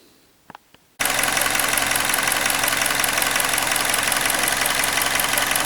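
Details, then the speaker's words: Hyundai Elantra (2012 or 2013), G4NB engine, about 240,000 km, after rebuild for scored cylinders that knocked louder hot than cold, new water pump, thermostat and PCV valve: fires up and settles into an even smooth idle with no knock – normal idle. "Всё, готовим к отдаче автомобиль. Он уже полностью проверен, работает всё отлично."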